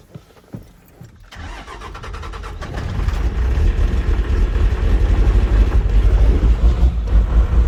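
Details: Cummins 6BT 12-valve tow truck, cold start after piston and head gasket replacement: brief crank, builds into heavy uneven low chug, smoky while warming; always does this cold, owner suspects a bad delivery valve, unconfirmed.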